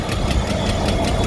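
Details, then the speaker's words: '93 Ford EB Falcon, 211,000 km, before catalytic converter replacement: uneven idle with steady rhythmic knock about four per second; rough running, owner suspects ignition timing off and hopes new cat helps. "got a few things to fix up. I'm going to turn down cuz it doesn't sound like it's timed right."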